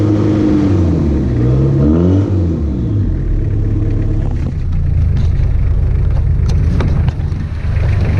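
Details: First start of B3000 truck after Cummins turbo diesel swap, jump-started: deep diesel rumble rises and falls cleanly through a few revs, settles to steady idle; healthy.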